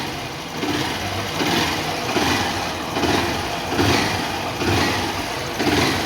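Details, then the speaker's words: Honda Start 160 (CG 160) after repair of a knock that sounded like the rod but was piston slap: throttle blips about once a second, rising and falling cleanly with only a light, characteristic rocker-valve tick; knock gone, healthy. "Acabou aquela batedeira, parecia até a biela. Não sei se vocês lembram aí no início do vídeo."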